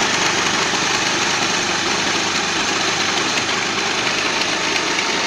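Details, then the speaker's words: Hero Pleasure scooter at idle, plug cleaned, carburetor mixture screw turned slowly to find the fastest-idle point for mileage setting: busy, even buzz creeping up slowly in speed as idle rises. "आप देख रहे कि धीमे धीमे इसकी इसका accelerator जो है बढ़ रहा है"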